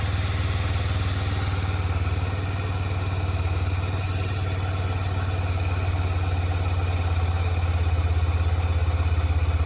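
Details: 2007 Yamaha YBR125 after fitting an upgraded KEMSO fuel pump (it had kept overheating in the sun), fuel primed: even, quick putter at a steady idle with no misses or stumbles; the small single is idling smoothly.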